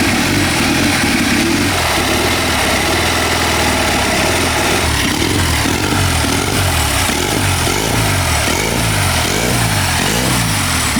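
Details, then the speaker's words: Military surplus 2A016 twin-cylinder generator engine, turbocharged, in a BSA 4-speed mini bike: loud continuous drone rising and falling evenly with throttle, no knocks or misses; runs healthy, slight oil-system leak noted. "it sounds great got a little bit of leak on the oiling system that'll be all right"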